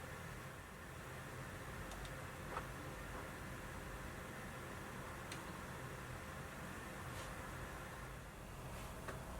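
Steady loud rushing whoosh of a fan running flat out with no rise or fall; a console fan working hard under load.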